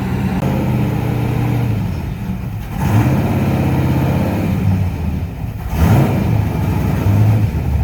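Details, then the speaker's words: Open race-car V8, old gas in tank, held on throttle: lumpy blipping rising and falling, never settling, since the open motor won't idle; runs well otherwise; race engine held above idle. "I can't believe how well that thing runs. It won't idle cuz you know open motor life."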